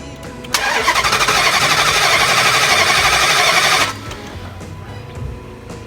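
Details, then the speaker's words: 2005 Dodge Durango bank repossession with a no-start: starter cranks quickly and evenly for about three seconds but the engine never catches; crank-no-start, possibly an electrical short, fuel or spark, not yet confirmed. "so now i'm gonna start it and i'm gonna show you guys that this thing does not start and we're going to find out why if it's air fuel or spark"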